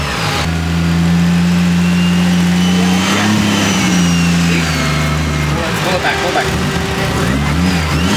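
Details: Scratch-built 1JZ-GTE swapped into a Nissan 350z on first start-up: blips up cleanly then settles to a steady even idle on its own with no stumbles or misfires; ran good.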